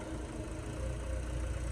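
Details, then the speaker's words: Starquest, warmed up, free revving in the Florida heat with wind noise: smooth, even engine note building with no knocks or misses; no smoke, good tone, runs perfectly, fuel pressure needs a slight bump. "good beautiful i love it i need to bump up the fuel pressure a touch but other than that she is perfect"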